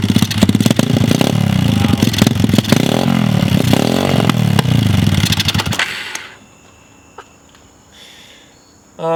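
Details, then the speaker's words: Mini pit bike/dirt bike pulled from a lake bottom with its engine full of water, on its first start: a loud, choppy, uneven single-cylinder run of about three or four beats a second with WD40 burning off, then it cuts out; a waterlogged engine barely running. "that's all the WD40 just burning off it guys wow this thing actually runs"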